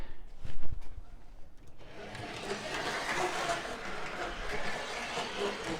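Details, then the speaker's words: Prewar Lionel 259E locomotive on the test track after its wheels were pressed back on: a continuous gritty grinding whir. The worn drive gear and wheel are rubbing against the motor. "you can hear that that noise it makes is that gear rubbing and the wheel rubbing up against that motor"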